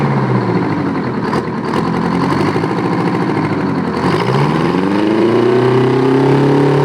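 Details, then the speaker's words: Old 9.3 L Detroit two-stroke diesel, peaking about 1,800 rpm at full throttle: dense raspy idle climbing to a hard high-pitched howl as revs rise, firing on every stroke so it sounds like screaming; normal two-stroke diesel running. "Sounds like it's screaming because it's popping on every on every upstroke. There's no suck, squeeze, bang, and fart on this. It's firing on every stroke."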